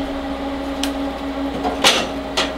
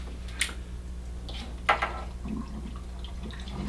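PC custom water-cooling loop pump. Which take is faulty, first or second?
second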